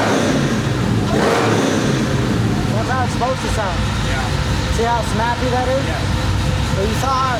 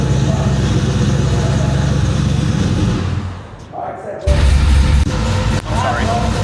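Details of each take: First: 1972 Chevelle, LS-swapped with a Whipple supercharger, being dyno-tuned after an earlier misfire: repeated blips rise quickly and cleanly with no stumble or popping, a normal crisp free rev. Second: 1972 Chevrolet Chevelle V8 on dyno with previous shop's base tune: heavy burble, stumbles and falls flat on the blip before recovering; lean misfire, not enough acceleration fuel, fixed by retune.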